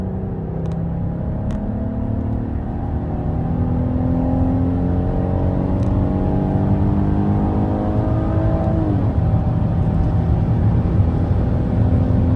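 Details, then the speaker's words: 2024 Chrysler Pacifica Pinnacle, 3.6L V6 (287 hp) with 9-speed automatic, accelerating. The engine climbs and holds high revs with a big revving noise a long while before the pitch drops at a very late, lazy upshift; unpleasant, and it may or may not be normal. "did you hear how long it took for the Pacifica to shift I don't know if that's intentional or not maybe for fuel economy but that is very strange to my ears and it actually isn't a very pleasant sound"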